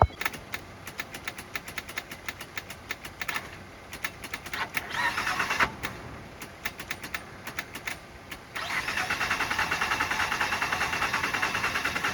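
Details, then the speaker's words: Ford Fusion with battery at 9.4 V, jumped to about 14 V; scattered clicks then steady cranking that never catches; starter suspected bad, though mechanic also suspects an engine problem after a loud boom; crank no start. "It doesn't start. It's not starting. It's not starting though. Still not starting."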